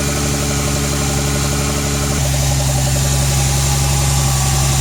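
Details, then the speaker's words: BMW E46 with turbocharged M52B28TU engine, just started cold, fast warm-up idle around 1500 rpm (expected to hunt once it drops to 900): steady drone with uneven knock about three per second, suspected internal knock, cause unconfirmed. "Салона не слышно, что там тарахтит, гудит. Хотя может и слышно."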